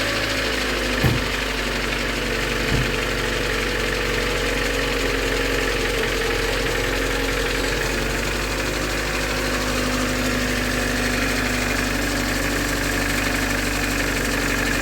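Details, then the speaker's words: VAZ 2112 with unstable running, after timing-belt inspection, new plugs and new crankshaft pulley, at start: steady even idle with light lifter tick, no timing belt whine or chirp; pulley runs true, no wobble. "шума от ремня ГРМ нету И здесь Посмотрите Как ровно работает"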